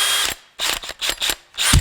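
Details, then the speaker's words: DEWALT DCD797 20V XR brushless compact hammer drill, speed 2, boring a 4x4: each trigger pull gives a high whir with loose chattering rattle; gearbox rattle common to DEWALT drills, judged not much of an issue. "That end, it sounds like something's rattling around in there, and you hear that in a lot of different DEWALT drills, but I don't think that it's too much of an issue."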